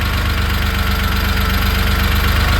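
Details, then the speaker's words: 1970 Porsche 911T restomod with carburetors and MSD ignition, air boxes off while still dialing in: steady, fast, even idle pulse with no misses, sitting a touch high; carb idle needs turning down slightly. "The owner can go over. He can be like, it's idling too high."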